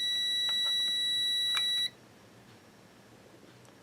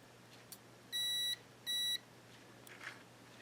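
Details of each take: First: Yaesu FT-901DM transceiver with no transmit drive: a meter gives two clean continuity beeps across the normally closed contact of four-pole double-throw relay RL1, held in a vise, so that contact is good; the normally open contact reads open. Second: Yaesu FT-901DM transceiver with no transmit drive and no audio: multimeter in continuity mode across suspect relay contact while energized; two short beeps only when the contact is pushed closed with a toothpick; bent relay contact not closing, needs bending up slightly.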